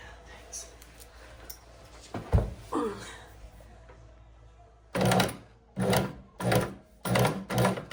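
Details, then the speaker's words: EuroPro X Shark sewing machine after cleaning and oiling, run with the presser foot: thin high squeak over the stitching clatter in short runs, owner suspects something up top; squeaking machine. "Oh, it's like driving. Whoop. Somebody's squeaking. Somebody is squeaking. I don't like that sound so much."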